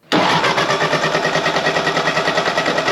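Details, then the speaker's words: 1948 Ford 8N tractor, first start after a tune-up with new ignition parts: starter cranks in an even chug about three beats a second, never catches; no-start. "The tractor ran before we worked on it, it doesn't run now."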